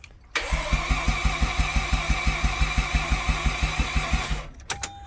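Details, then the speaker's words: Mazda RX-8 rotary: starter turns over at an even rhythm, about six beats a second, for four seconds with no firing; no fuel reaching the engine because the fuel pump fuse is missing. "No. And the reason why is cuz I don't have a fuel pump fuse."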